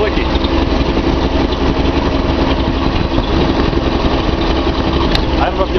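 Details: Nissan 280Z L28 six-cylinder at idle: steady rumble with slightly uneven stumbling beat, one cylinder dropping out; owner suspects cylinder 6 injector blockage.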